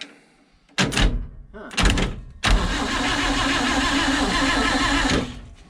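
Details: Abandoned International Metro van (possibly A120) sitting since 1976, starter jumped without keys: two short starter bursts, then several seconds of steady cranking that never catches; turns over but won't fire, points suspected, not confirmed.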